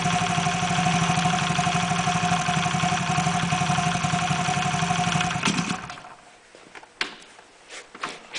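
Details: Engine after its abnormal noise was repaired: even, steady firing at about four beats a second with no knocks or rattles before shutting off. It now runs normally.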